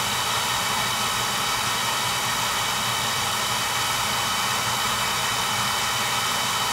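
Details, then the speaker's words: Home oil burner after repair, electrodes reset, new transformer, good spark and oil flow: steady even hissing roar of flame and fan, no pulsing, rumble or sputter; clean burn, normal operation. "fixed electrode issue good spot good oil flow clean pad new transformer fix electrodes good spa good oil flow clean burn ahead so that should do it"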